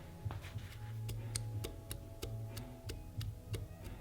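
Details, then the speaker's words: Mazda Miata engine stripped and silent with crank endplay near the stock maximum: prying the crank gives sharp metallic clicks at each end of travel, excess endplay from worn thrust washers, to be replaced by removing one main cap. "Yep. And you can hear the movement."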